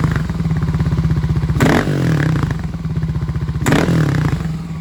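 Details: Warmed-up Kawasaki KLX250S with 351 big bore kit, stock pilot jet: single-cylinder idle with two quick throttle blips from idle bringing an odd brief raspy, clattery burst.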